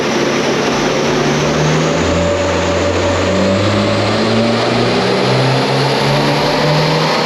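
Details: 2022 Subaru WRX turbo with JB4 tune on 93 octane, full-load dyno pull: loud roar whose pitch climbs steadily with a strong even pull and no misfire; runs well, holding some timing, logs show slightly lean.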